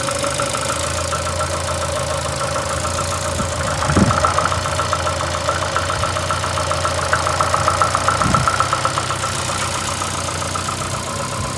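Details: VAZ 2115 8-valve at idle: uneven running with fast irregular tapping, three to four per second, and faint scraping tone. Began after cylinder-1 head gasket failure and antifreeze/5W40 oil change; misfires cold, rubs when warm. Source unclear.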